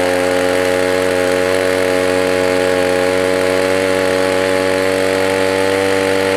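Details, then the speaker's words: Echo PB 200 leaf blower, roadside find, choke on then open, full throttle: steady even smooth high buzzing topping out a bit low; owner suspects dirty air filter, primer bulb and fuel line may need replacing. "well that was easy works good it sounds like maybe it could rev a little bit higher maybe that air filter is dirty"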